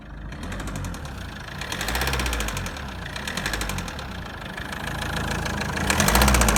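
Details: Mazda 6 2.0 L diesel engine idling with a steady, regular knock of about four beats a second over the running; engine knocking at idle.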